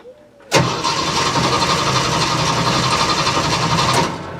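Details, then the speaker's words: Jeep CJ-7 after its gas tank was cleaned and installed: the starter spins the engine at a steady, even rhythm for about three seconds but it never catches, because a homemade anti-theft cutoff had been left engaged; it runs once that is undone. "okay that was my fault i did not undo my poor man's anti-theft device so let's try again oh that sounds better"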